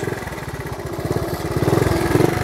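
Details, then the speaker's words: 1970 Honda CT70 Trail 70 ridden in the yard with automatic clutch; quick even single-cylinder putter rising slightly with throttle, no knocks or rattles, normal running. "it's got the automatic clutch see all you have to do is shift it and it disengages the clutch"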